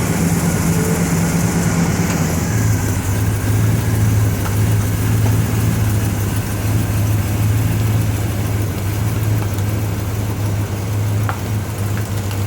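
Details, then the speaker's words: 1970 Pontiac GTO V8 after engine and transmission rebuild, first test drive: deep steady rumble pulling away, no stumbles, misses or knocks; shifts through all three gears and downshifts fine. Normal running. "well it's shifted to all three gears I didn't get on it or anything but so far first time around the block all three gears and downshifted back first just fine"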